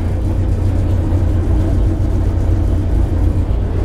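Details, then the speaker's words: DR1B-3702 diesel train engine started directly from the starter contactor after a computer restart: deep, slow rumble idling very low, close to stalling, stops when released; later suspected regulator fault, running only after about 26 attempts. "Ma ei teagi, mis siin jama on, eks ole, siis. Pöörded on väga madalal praegu."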